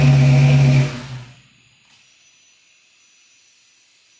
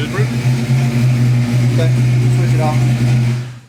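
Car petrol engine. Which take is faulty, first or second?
first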